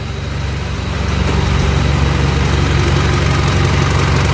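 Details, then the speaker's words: Mitsubishi L200 Triton 3.2 diesel warmed to working temperature at idle: steady clatter with metallic chatter on top; timing chain knocking when hot, mechanic says chain expands. "Ó, tá vendo? Agora a corrente de comando tá batendo. Ó o barulho."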